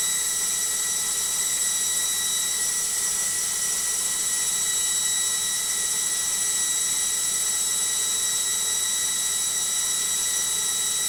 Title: Logik Washing Machine Noisy Spin